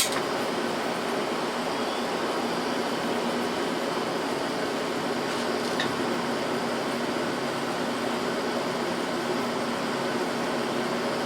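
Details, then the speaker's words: Window AC unit, originally R-22, recharged with R-152A, running with cold evaporator and hot condenser coil: steady even hum with smooth airflow hiss, no knocking or rattling; compressor running normally. "so and as you can hear i mean the compressor sounds just fine coil's hot back here"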